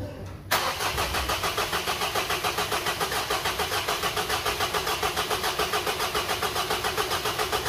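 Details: Engine brought in for a rattling complaint, on its first start after the timing cover was resealed, the sealant cured overnight and fresh oil added: it cranks, catches quickly and settles to an even idle of about 214 pulses a minute with no obvious rattle.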